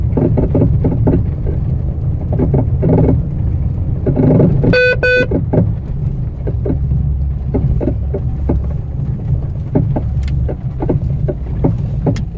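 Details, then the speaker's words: Fiat Strada front suspension before suspension overhaul; irregular hollow clunks about two a second knocking through road rumble over bumps, worn ball joint and tired front shocks. "Moçada, impressionante, né? Impressionante esse barulho. Deu pra captar aí no vídeo, eu espero. Vamos fazer uma revisão de suspensão, moçada."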